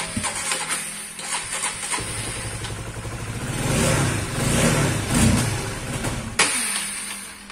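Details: Old Honda CBR/CB150R fuel-injected motorcycle idling unevenly, surging and sagging, then stumbling and dying when throttle is snapped or released; regulator and other parts swapped without result; it once ran out of radiator coolant.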